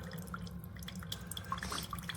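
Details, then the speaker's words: Chefman single-serve K-Cup/ground drip coffee maker, warming up: soft irregular drips and gurgles over a low hum, quieter than a Mr. Coffee; normal brewing. "It's quiet. It's actually quieter than this one. It's quieter than the Mr. Coffee."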